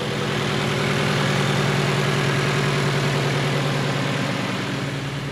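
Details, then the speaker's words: 2018 Subaru Crosstrek after junkyard engine swap and electronic throttle relearn: smooth, even idle with steady low hum, no knocks, misses or hunting, no trouble codes; normal idle. "oh yeah she idles like a champ now"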